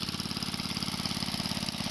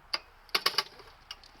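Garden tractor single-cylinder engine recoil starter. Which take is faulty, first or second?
second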